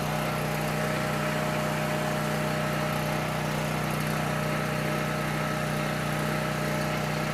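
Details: Coleman PowerMate 6560 generator, carb rebuilt but ran only on choke, fixed by putting carb gaskets in correct order: steady even drone, constant pitch, no hunting or surging; normal running under governor.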